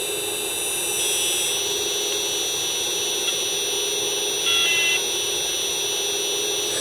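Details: Pang bootleg arcade PCB, unrepaired for 25 years. The audio is intermittent, mostly a harsh, garbled buzz with scattered beeps instead of game sound. A digital sound fault around the M5205 speech chip is suspected.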